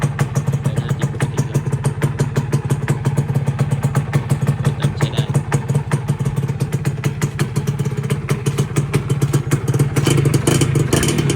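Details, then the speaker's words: Original Thai-market Dash New, 2544-model year, from cold: a quick, even popping two-stroke idle with a steady rhythm and no rattles or knocks. The engine is described as very good. "นี่เครื่องเย็นๆอันนี้เครื่องดีมากครับ"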